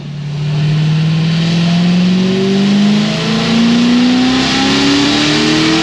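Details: Supercharged LS7 on the dyno at about 11 psi boost, making strong power with a clean data log: V8 pulls hard to high revs with a ragged edge up top, first thought to be the wastegate, found to be valve float from a broken valve spring.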